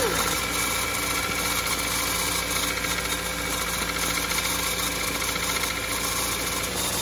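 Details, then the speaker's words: Vehicle whose battery went dead, started: engine runs steadily with a rough, high whirring grind over it; owner suspects the alternator bearing is going out, unconfirmed. "got it but it doesn't sound very good sounds like maybe the alternator's goin out like the bearing in it"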